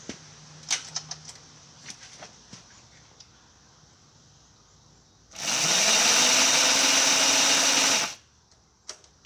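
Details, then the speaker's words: Homemade paddock roller starter on a race bike, in gear: a starter whir rising to a steady whine for about three seconds with no compression beats. It lacks the torque to turn the engine in gear, though it spins it in neutral. "all right it doesn't have enough to uh spin it over in gear i'll put the decompression on and see we might need a bigger motor for this"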